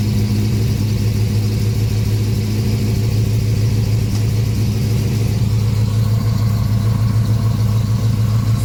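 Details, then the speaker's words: 1979 Volvo 240 after exhaust swap from another 240 with new front gasket, cold start with manual choke: steady high idle about 1500–2000 rpm, deep clean exhaust note, slight blue smoke; healthy cold start. "this right now is cold start and the high idle's on with the manual choke at about 1500 to 2 grand as you can tell it starts up every time"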